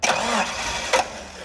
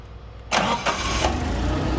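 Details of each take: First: Caterpillar forklift with basic EMCO system, hard start: starter cranks briefly, engine nearly catches but won't fire; brake-clean test during cranking points to a vacuum leak, not yet pinpointed. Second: Caterpillar forklift with EMCO fuel system, cranked without opening the throttle, fuel left in regulator: brief crank, fires promptly and settles into a smooth even idle, about 5.8–6 in air valve vacuum; starts cleanly.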